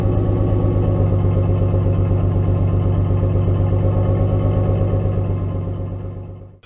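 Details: Nissan 240SX S13 with RB20DET inline-six, just driven up the driveway under light load: rough, pulsing low idle with an uneven beat before shutdown, running on five cylinders; owner suspects a bad ignition coil, unconfirmed.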